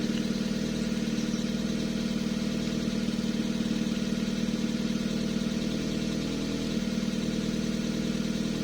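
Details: Toyota 2E engine after fitting a 272-duration TRD regrind camshaft, at idle before valve adjustment: quick even top-end ticking about three per second; valve clearances incorrect, later set to 0.008.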